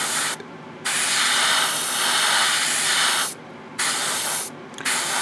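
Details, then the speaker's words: New Gaahleri GHAD-39 Advance airbrush spraying paint on an unprepared old kit: even steady hiss in bursts, clean starts and stops, no sputter or pulsing; smooth spray. "oh yeah this is beautifully smooth oh it's coming out like butter like butter"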